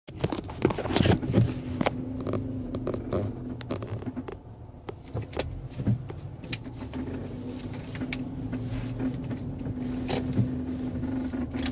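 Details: 2011 Hyundai Sonata 2.0 L Turbo Limited: steady low hum over the running engine with irregular clicks and rattles, mostly with A/C on and during light acceleration, seemingly from the passenger side of the engine; usually stops with A/C/fan off but sometimes persists.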